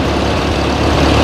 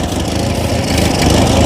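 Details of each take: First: Ford 8N tractor revived after about 8 years abandoned, carburetor still untuned: low, steady, even thump with no skips, revving up slowly and falling back to a healthy idle. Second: Ford 8N 6V tractor abandoned eight years in storage, first start on ether: loud, uneven low chugging idle that stumbles and surges; owner thinks it is firing on only two or three cylinders.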